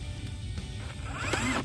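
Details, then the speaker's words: Milwaukee M18 Angler brushless battery-powered fish tape making raspy, ratcheting clicks as the reel turns but the tape doesn't, because the tape is stuck at the far end and coiling up inside the reel. "the reel is moving you can hear that clicking noise give you a closer look the reel is moving but the actual tape isn't so it's obviously stuck on that other end and it's coiling up inside which isn't good"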